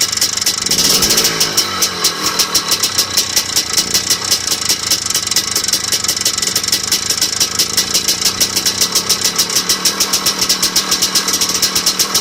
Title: Piston slap?